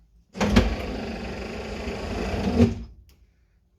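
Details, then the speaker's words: 1964 Chevrolet Impala convertible, stored since 1995, power windows revived with spray lubricant: window motor whirs about two seconds with slight drag near the top, running sluggishly; owner suspects the battery is dying and needs charging. "i think i gotta put the battery on the charger but let's do this for the video"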